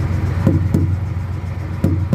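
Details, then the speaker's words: Knock test on a rear trailer tyre with the engine running nearby: four tight, dull thumps whose firm ring shows the tyre holds good pressure and is not soft. "นี้คือมีลมนะครับเสียงแบบนี้อ่ามีลมอ่ามีลมนะครับไม่อ่อนนะครับ"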